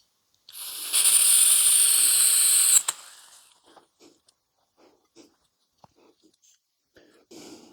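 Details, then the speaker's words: Parkside 3-in-1 butane gas soldering iron being primed before lighting: steady hard gas hiss for about two seconds while the button is held, cutting off with a click on release; normal gas flow. "I've still got my finger on it now if I let go it's going to stop okay you can hear it stop"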